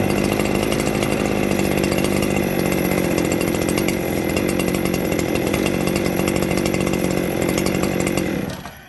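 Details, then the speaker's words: Echo 7310 chainsaw after replacing a scored piston; it runs well until warm, then an air leak develops. It holds a fast, steady high idle that never settles before cutting out. High idle; suspected air leak. "So let's fire it up and see if it'll sit here and idle until all of a sudden it'll just peak up and it'll start idling real fast like it's about to run out of gas. Let's see if it'll do the trick. It's already idling too high."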